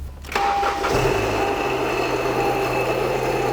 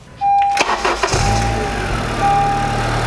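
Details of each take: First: 2012 Honda Civic Si with non-working AC: engine catches and idles with a harsh steady screech and grind like nails on a chalkboard; accessory belt drive squeal from failed idler and tensioner pulleys and AC compressor. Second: 2012 Honda Civic Si with a loud engine-bay noise, run for a few seconds with the serpentine belt removed: smooth steady idle, noise gone, ruling out clutch and crankshaft main bearing and pointing to the belt drive system.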